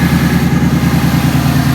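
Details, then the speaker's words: 2017 Mustang GT V8 idling at first start with new SCT tune, cold air intake and new exhaust: deep, steady burble with even lope, no knocks or misses; normal idle. "Hey, she's breathing. So good. Freedom's breathing really good. Oh yeah."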